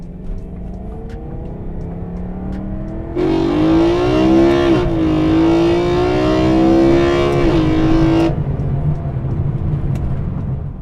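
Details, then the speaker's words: BMW E92 M3 after replacing a cracked carbon/glass intake plenum window with thinner Lexan, fixing a vacuum leak, under acceleration while driving: clean, rising intake roar, louder than before, no hiss or stumble. Healthy induction sound. "so my theory was right the glass plenum is louder with the thinner glass it sounds better too"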